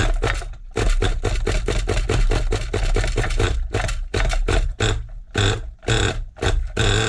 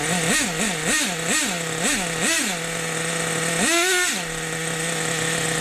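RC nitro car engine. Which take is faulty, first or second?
first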